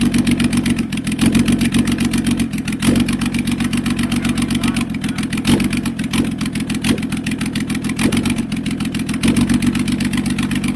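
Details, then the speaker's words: Flood-affected Toyota Land Cruiser HDJ100 1HD-FTE diesel, first start after sitting: the idle rises and sags every second or two with lots of blow-by. Stuck rings and a sticky injector pump are suspected. Hunting idle. "yeah I don't know why it's hunting so badly I don't know whether that means it's it's sticky in the injector pump or what but even that might come good in time"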